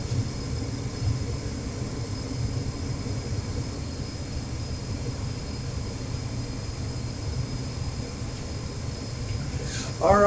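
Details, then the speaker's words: Trane XR80 gas furnace reassembled, being tested for the earlier overheat fault: an even, low whooshing hum with no knocks, rattles or rising whine; the fan runs normally. "so the fans running the it's everything else is work looks looks like it's working like it's supposed to"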